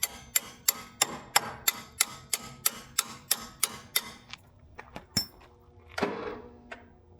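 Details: 1980s Snapper riding mower, abandoned and half buried in woods, in neutral with blades off: sharp clicks about three a second, then uneven clacks, and the engine never turns over (possibly stuck, suspected); starter clicking, no crank.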